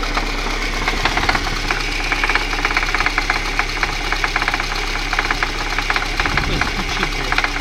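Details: VAZ 2111 engine at idle: sharp metallic taps stand out over the idle, roughly once a second and unevenly; an engine knock of unknown origin.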